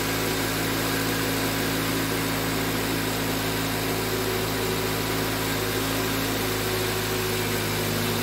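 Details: 2005 Toyota Corolla idling after repair of a P0304 misfire and a leaking valve cover gasket that let oil into the spark plug wells: steady, even low hum with no stumble, misfire gone.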